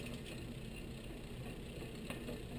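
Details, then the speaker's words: Bicycle rear derailleur on a stand with the cassette replaced by a single stud: low steady bass rumble under light drivetrain clicking as the chain spins; high limit screw loosened so the guide pulley sits outboard of the cog, misaligned. "it's actually now misaligned let's Okay do we hear the the rumbling there kind of a base sound that uh that's an extra noise"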